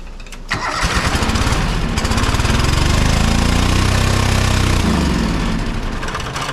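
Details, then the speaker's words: John Deere 425 riding mower, Kawasaki twin, with one plug lead disconnected for testing: it runs with a lumpy, uneven low beat of about four pulses a second and no power. One cylinder is dead from a bad ignition coil. "with that one plugged in on the other side it starts and it runs good again so by running good I mean with lack of power and everything else but we know this cylinder is not doing anything"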